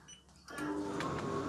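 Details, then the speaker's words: Fisher & Paykel DE8060P2 condenser dryer, not spinning before repair, after repair at power-on and start: a click then drum motor picks up into a smooth steady hum, no scraping or knocking; sounds perfect. "oh excellent that sounds perfect doesn't get much better sounding than that"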